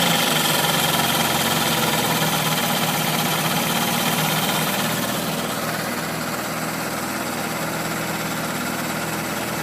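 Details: Toyota AW11 MR2 with 4A-GE engine at steady idle: quick, regular tick about four per second over the engine, abnormal ticking whose source is not yet pinned down.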